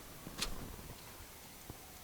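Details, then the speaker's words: 1985 Chevrolet Monte Carlo SS 350 after flood damage: a few sharp separate clicks as a possibly wet relay cycles while its signal wire is connected and disconnected; still no power reaching the block afterwards. "it I can hear clicking click click click click"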